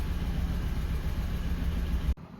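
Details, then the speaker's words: Suzuki Grand Vitara running rough with no fault codes in any module, mechanical issue suspected; rough, shaky idle with an irregular low beat before shutoff. Compression test later shows cylinder one at 150 and cylinder two with none, causing the misfire. "and engine we don't have a any code error code and I think we have a mechanical issue because engine running."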